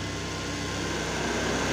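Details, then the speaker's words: BMW E36 M43 idling, radiator temperature sensor switch jumpered to force the high-speed fan: steady, even rushing whoosh of the fan at full speed over a faint idle, with no rubbing or rattle. High-speed radiator fan working normally. "Nah, kalian bisa dengar itu yang hidup high speed fan."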